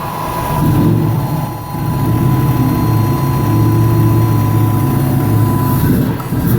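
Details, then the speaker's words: 1999 Nissan Frontier SE, turbocharged VG33E, after ECU timing and air-fuel ratio changes: a low, uneven idle that nearly stalls twice. It is running too rich with smoke, and the owner plans to lean it to about 14 AFR. "Looks like it's actually running a little bit too rich. Have some smoke coming out of there, so."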